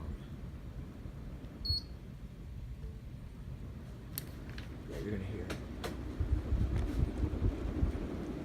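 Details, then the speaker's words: Casablanca Panama ceiling fan with Avalon blades, dated June 2002, run briefly on speed six: a soft, steady airy whoosh from the blades with no ticking or rubbing. Normal high-speed blade whoosh. "it stands quiet it does not make any noise other than the blades when it's on to beat six gives a whooshing noise which you'll hear it on"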